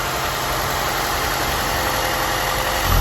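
Uneven, lumpy idle with a wavering low beat and no steady rhythm; the engine is running rough, cause not clear.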